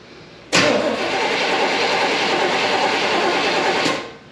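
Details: 1972 Chevrolet Impala parked for severe misfire, after tightening carburetor base and distributor bolts; starter spins the engine about three seconds with no catch at all: crank no-start, no spark.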